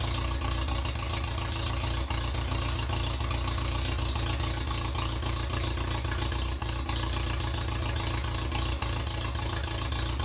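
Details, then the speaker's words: 1947 MG TC XPAG engine on an engine stand, first runs in about 40 years, now with radiator water and temporary exhaust: steady, even idle with smooth low beat, no knocks or misses; may need fine tuning. "so well we might like to do a little fine tuning but that's not too bad"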